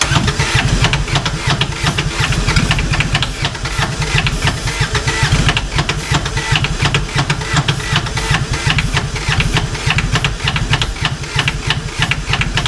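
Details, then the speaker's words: 2011 Kawasaki Mule 4010 diesel UTV, idle about two years, with new rocker arm assembly and push rods and no coolant: long, even cranking with no firing; piston rings suspected tight with poor compression, and the starter is overheating as the battery weakens. "way that was worse well we're losing power better battery power that starter is probably getting too hot that's the problem"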